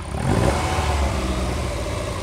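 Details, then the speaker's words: Lotus Elite, quick throttle blip after carburettor adjustment: a small exhaust pop from an air leak in the exhaust letting in dry air; throttle also slow to return, needs a return spring. "yeah that pop is because you've got an air leak on your exhaust and it's dry air and it's popping you can hear it now"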